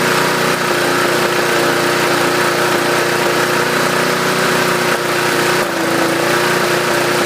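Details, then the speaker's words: Yard Machines 20-inch mower, 2008 build, 4.50 HP 300 series 148cc engine, after carb rebuild, new air filter, oil change; steady mid-speed drone dipping briefly every few seconds, intermittent hesitation; owner suspects cheap Chinese spark plug, will fit Champion. "Okay, there is a little bit of a hesitation here and there."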